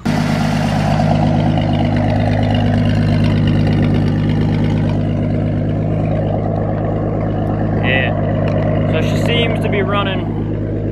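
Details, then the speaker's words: 1980 Ford F-100 with 300 straight six, first start after oil change and new spark plugs: steady, even idle with smooth low rumble, no misses or knocks, lower rpm than before; owner credits the plugs. "good that's that first start up with the bottoms normally it's a little rough start the idle is a little weird this sounds good this is a nice it's not the RPMs aren't super high like they used to"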